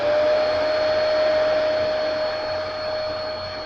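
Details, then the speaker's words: Hoover WindTunnel V2 upright vacuum U8132-900, 12 amp two-motor system, after the jammed brushrolls were cleaned and greased and the filters blown out, switched on before the brushes engage: even, steady mid-pitched motor roar, no rattles or surging. Normal running. "It's got great suction. 12 amp motor. I'll do a demo. I'll turn it on first."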